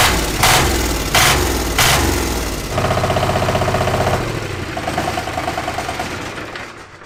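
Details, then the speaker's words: 1300cc Chinese diesel V-twin, first startup after priming the fuel pump: three short cranks, catches and settles into even crisp firing pulses about four per second, then winds down smoothly; normal healthy start and run. "1300cc diesel V-twin. First startup. Fuel pump. Fuel pump. All right. Fire now. Yep."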